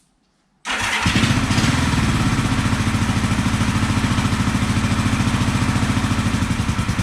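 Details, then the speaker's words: 1974 Honda CB450 that sat for a couple of years, run after its ignition timing was set: catches quickly and settles into an even, rapid twin beat about three pulses a second; running nicely on both cylinders. "she is running nicely on both cylinders"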